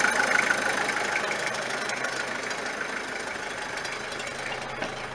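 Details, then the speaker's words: Diesel engine after rebuild and wiring repair, warmed up and running a while with no leaks and holding temperature: even diesel clatter at steady idle, no misses, knocks or surging; normal idle. "Alright, so we've been running now for a while and don't seem to be any leaks. She's keeping to her temperature nicely."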